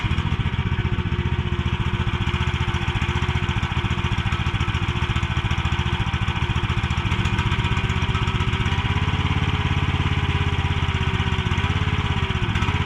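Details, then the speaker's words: Mini excavator with pull start, repaired after being bought broken and then sitting about 3 weeks, oil and hydraulic fluid still to be checked; small engine chugging at a steady, even idle with no knock or miss, running pretty good. "[snorts] It seems to be running pretty good."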